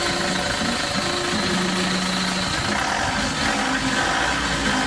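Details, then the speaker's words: Isuzu Traviz idling: a rough, raspy scraping, like a dry bearing, comes from the loose, unevenly worn aircon/accessory belt. There is no major engine fault and the fix is replacing the belt. "Hindi niya alam bet lang pala yung maingay. Kasi nga kung maririnig niyo yung ingay ng makina kaskas siya. Na akala mo bearing na walang grasa eh."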